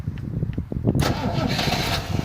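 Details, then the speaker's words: 1973 Rover P6 3.5 V8 with old relay reconnected, starter previously reconditioned: about a second of steady cranking then engine catches cleanly first try; healthy start, fault traced to the failed relay. "Surprise, surprise. Start, no problem. I have it switched down because I just want to test the starter and the relay."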